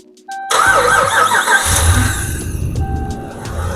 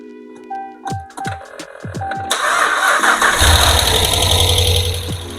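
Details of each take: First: Hemi engine freshly installed in a Ram truck with the lifter trick applied, mic by engine: cranks, catches quickly, settles into a smooth, quiet, even idle with no lifter tick; normal startup and idle. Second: Ram truck Hemi V8 first start right after an engine install, microphone set on the battery: several cranking pulses, then it catches and races with a light busy lifter ticking until oil pressure builds and bleeds off, normal and expected to quiet in minutes.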